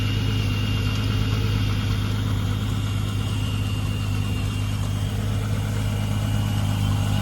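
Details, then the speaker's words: Mk3 Jetta VR6 Silver Arrow with a fresh engine and rebuilt Vortech V9 supercharger kit: a smooth, even idle with a steady low drone and faint blower whine, no ticks or knocks. The engine sounds healthy. "yeah sounds healthy uh don't sound anything like it"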